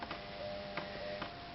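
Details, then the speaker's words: CoPilot coder start-up, purge button pressed 15 times to force ink through the print head and clear storage fluid or old ink: light, sharp, clean, even ticks about every half second, purge pump working normally. "So every time we push that, okay, we see the ink flowing. We just have a garbage sitting down below here just to catc"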